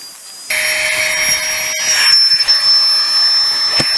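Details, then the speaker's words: Flextail Tiny Pump 2X USB backpacking air pump inflating an air mattress: motor spins up to a steady high-pitched whir with rushing air, smooth and even throughout; a little loud but working normally. "yes it's a little bit loud but I've heard a lot louder because I've I've seen been around people when I was backpacking that had pump some of this and they were much louder than this"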